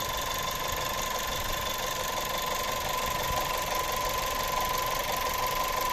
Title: турбина свистит. Октавия А7. TSI 1.4 150 л.с. Пробег 150 тыс.